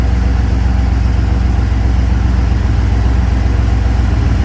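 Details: 1989 Jeep Grand Wagoneer with AMC 401 stroker V8 and Sniper EFI swap, idling while warming up: even, deep idle with steady low pulse, no misses, knocks or ticks; normal idle.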